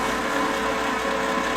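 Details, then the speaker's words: Lincoln Power MIG 210 MP after drive motor replacement, dry feed with gas off and wire feed speed raised: smooth, steady constant-pitch whirring with no grinding or hesitation; the new feed motor sounds much better than the old one. "I didn't have the gas turned on at the moment the uh Drive motor sounds a lot better than the old one did"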